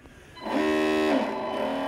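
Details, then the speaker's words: Proboat Horizon Harbor RC tug on a 3S 3200mAh Spektrum G2 battery after a universal joint fix: motor whine climbs, holds, then settles to an even hollow drone, no knocking; drivetrain healthy. "hear that hollow sound man that's that's one of the things that i love so much about this boat just sounds like it's chugging along when it's uh underway"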